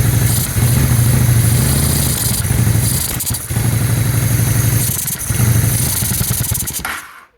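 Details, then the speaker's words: 2001 Honda Shadow VT600CD V-twin: idles fine but lopes, and each slightly larger throttle blip sags and stumbles; bog on acceleration, no fuel seen from the accelerator pump nozzle; cause unconfirmed after fuel system cleaning. "barely barely moving it but once I give it a little bit more she bogs down notice no fuel coming out of that nozzle which is my accelerator"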